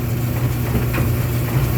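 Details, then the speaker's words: 1990s Speed Queen retired commercial gas dryer, possibly up to 20 years old, running after replacing a failed gas igniter that caused no heat: steady low hum and even drum rumble with no scraping or clunks, igniting and heating normally. "And as the title says, it will ignite the gas and cause the dryer to heat up. So there it is, heating up. Back in business here."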